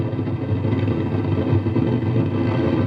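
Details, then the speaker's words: 6-inch home theatre amplifier: constant low rumble with rough crackle, like FM radio noise, continuing even with volume at zero and no program sound; fault cause unknown. "पूरा volume zero करने के बाद भी उसके audio खराब ए रही है"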